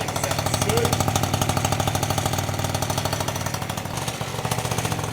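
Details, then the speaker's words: 49cc scooter just after a big bore kit install, running: fast, buzzy exhaust with a tinny metallic jingle on every pulse, caused by the silencer insert loose and vibrating inside the exhaust; exhaust rattle. "so that's the silencer it was just jingling around in there that's what that rattling is"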